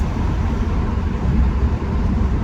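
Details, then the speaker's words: Mustang automatic after torque converter replacement, accelerating: steady low drone pulling through a shift with no slipping flare, clunk or whine; transmission healthy. "oh there just shifted going to shift again about 3,000 RPM"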